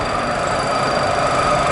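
Loud, steady crackling rush with a hissy edge and thin whistling tones: a propeller cavitating at full speed.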